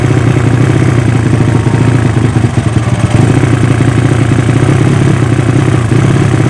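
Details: Yamaha Vega ZR with swapped Mio cylinder, 200cc, 66mm piston, standard stroke, Tiger cam, test run after long storage: loud, rapid, slightly clattery beat at fast idle, a bit uneven; carburettor not yet set, running quite lean.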